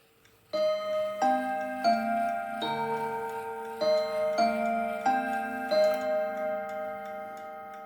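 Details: October 1950 Seth Thomas Northbury 1W mahogany mantel clock, No. 124 movement, heard from the front: clear ringing Westminster chime notes struck in steady sequence over a soft even tick, not overpowering; running and chiming normally.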